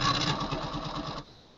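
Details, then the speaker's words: Paintbox system floppy drive during diagnostics, head hitting the end stop: rapid buzzing rattle about ten beats a second for a second, then abrupt stop; drive grinding while failing to read, possibly linked to grounding the ready pin. "that's the sound you don't want to hear really often."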